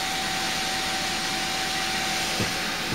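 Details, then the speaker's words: AMD FX 8120 desktop with Radeon HD 6750 at full load, CPU about 42-60°C: loud steady airy rush with a thin constant whine, no rubbing or ticking; CPU cooler fan screaming at full speed, healthy. "And I can hear that fan, it's just a screaming."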